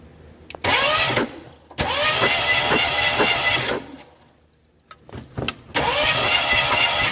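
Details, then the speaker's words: Ford Bronco II engine being cranked on the starter during compression test, no firing; cylinders five and six show no compression at this point; low compression on cylinders 5 and 6. "that's five and six five and six does not have any compression at this point so we'll see what seven eight does"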